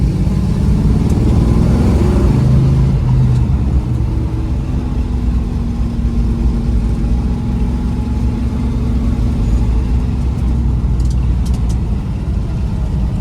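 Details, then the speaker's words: 1971 Dodge Demon 340 V8 with ignition timing stepped down to 38 degrees: deep, even burble settling after a blip, a little lazy right off idle but otherwise running clean and healthy. "It sounds a little lazy right off idle, but otherwise pretty happy."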